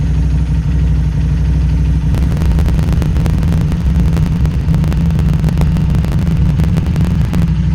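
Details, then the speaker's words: Harley-Davidson Street 500 chassis (17k miles) fitted with a new Street 750 engine (60 miles), cold start to warm-up idle at about 96 degrees with throttle plates slightly open: deep lumpy twin idle bouncing between 13 and 16, about to stall, from poor fuel tune. "you can see the idols getting a little bit disturbed it's bouncing between 13 and 16 it was back to smoothed out here it goes it's gonna stall any second here"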